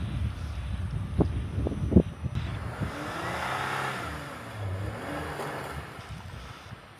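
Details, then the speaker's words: Off-road rig stuck in deep snow in the PNW mountains: engine laboring, then a few sharp pops when the lockers were hit; driver thought it didn't sound good, possibly the locker didn't fully engage, cause unclear. "I hit it with the lockers and it was like, I was like, no, that doesn't sound good. Maybe your locker didn't like engage fully with pencil. Like a pop."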